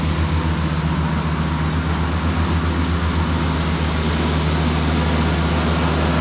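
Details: Cushman front-deck diesel mower, bought as scrap with a supposedly bad hydraulic pump, tires freshly aired up, mowing grass: steady low diesel chug with even beat, no knocks or misses while pulling the deck; normal running under load.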